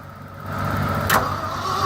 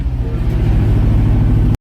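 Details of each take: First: Old Ford F-600 truck at -22°F: starter whine with rapid, even cranking around four turns a second that never catches; owner says the fuel is frozen on one side of the tank, starving it. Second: Old Ford F-600 V8 truck after a -22°F cold start: deep, strong revs to near red line and rev dumps, climbing and falling smoothly, firing evenly with no knocks or misses; healthy engine.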